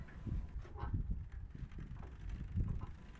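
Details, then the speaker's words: Giant Reign rear derailleur newly replaced, new gear cable, B screw and L/H limit screws set: steady low thuds as cranks turn, no grinding; cable tension off, needing a barrel adjuster tweak at shifter. "better you can hear the consistent thudding meaning the cable length needs to be adjusted as the L and H screws have already been set"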